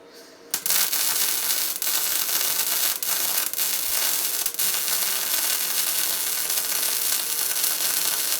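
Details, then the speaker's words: Tesla MIG 260 MIG welder: steady, even fabric-tearing crackle with no pops or spatter, a correctly set welder running a clean bead. "такий специфіческий звук як потріскування матерії це означає що правильно налаштований апарат немає сильних розбризгувань і чітко йде"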